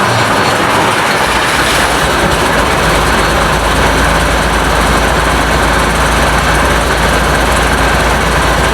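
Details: International DT466 diesel in a 1966 Ford F250 rebuild, first cold start, no muffler: loud raw but even idle with no knocks or misses; runs well, oil pressure not checked.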